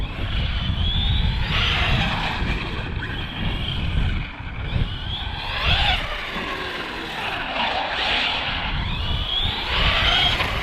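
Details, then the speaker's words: Arrma Big Rock 6S RC truck: motor whine sweeps up at full trigger, then an abrupt slap on release like a random cut or drag brake grabbing; owner suspects new ESC programming, not confirmed. "Right there. You hear it just slap down. That was okay. Did it a little bit, but not much. Something when I hit full trigger and I let off."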